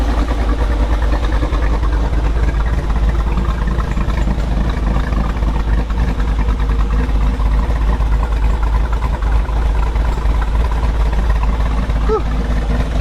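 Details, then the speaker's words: 2022 Jeep Wrangler Rubicon 392 V8, 2,000 miles, aftermarket cam, ported and polished big-valve heads, new ECU with base map: deep choppy idle loping evenly about three beats a second, steady and strong; healthy cammed idle. "So got the ECU in, got the smart access cable in, got a base map in, it's idling pretty good. Chopping down the block."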